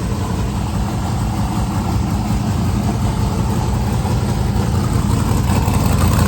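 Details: 1971 Chevy Nova race car, refreshed 383ci small-block Chevy V8 with TH400, running on E85 with the distributor now locked out: a loud, lumpy idle with a steady choppy rhythm and deep exhaust pulse, clean and even for the cam.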